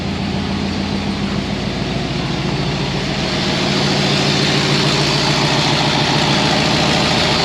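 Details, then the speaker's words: Ford V8 with a four-barrel carburetor after cleaning a sticky throttle slide linkage: steady, even idle with firm low rumble that climbs smoothly on throttle, no stumble; normal idle. "well uh she sounds good i'll go ahead and take a look under the hood"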